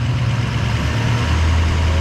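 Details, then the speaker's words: 2005 Ford F-350 King Ranch dually, 6.0 Powerstroke diesel, factory high idle enabled by putting 12 V to the orange wire: a steady diesel drone steps up and holds evenly at about 1200 rpm, a clean high idle. "you hear the truck idling up it's up about I don't know 1200 or so"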